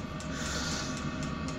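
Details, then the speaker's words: Chinese diesel air heater after its failed fuel pump was replaced with a new 12V dosing pump, running on a transformer with battery backup, relit after a fuel air lock: steady combustion roar with an even pump tick about four times a second; fixed, normal running. "uh there you go right it's running in here lovely now fixed it"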